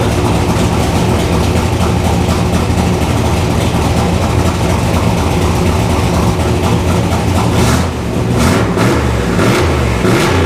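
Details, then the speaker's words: Turbo 331 cubic inch small block Ford V8 with AFR aluminum heads, on a stainless straight-pipe exhaust, recorded in a garage. Deep uneven idle rumble sharpening into throaty revs. The garage echo exaggerates the loudness. Healthy V8 straight-pipe exhaust. "honestly that wasn't really too bad uh the garage is obviously gonna make it sound a lot louder than it is and it really wasn't too loud"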